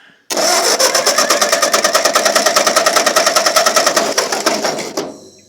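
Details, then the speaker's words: 1951 Ford 8N tractor engine cranking on starter for cylinder four compression test, after carburettor and distributor cleaning and excess oil drained: even strong chug about three beats a second for five seconds; reads just under 125 psi against 125 new spec, healthy. "Just under 125. Spec is spec is 125 new. Perfect."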